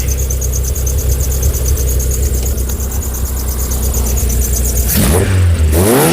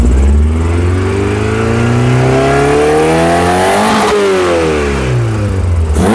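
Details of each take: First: Skoda 120 16V (Rover K-series, CANEMS), all ECU map data re-entered and calibrations saved: deep even note, revs up smoothly without stumbling or popping; now revving properly, owner unsure if it was previously on the wrong map. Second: Skoda 120 16V (Rover K-series, CANEMS), right after throttle position sensor calibration: clean rev, then revs sag slowly for nearly two seconds before settling; lazy idle return, but no longer misfiring; cause not yet pinned down.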